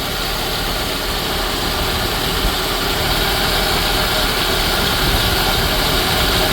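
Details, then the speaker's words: 1983 Dodge Aries K-car wagon, 5-speed, revived after sitting about 30 years on fresh gas. A steady idle with an even low thrum and some hiss that has just smoothed out; normal idle, no knocks or misses. "Man, she just smoothed out, though. You hear that bad boy?"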